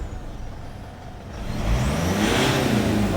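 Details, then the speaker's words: Mitsubishi Pajero Sport 4D56 diesel that had black smoke and poor acceleration, after replacing the intercooler pipe: revs climb quickly and hold with steady turbo hiss, boost now builds fast instead of sluggishly; normal. "อันนี้เร่งแต่แป๊บเดียวก็รอบขึ้นเลยนะครับ"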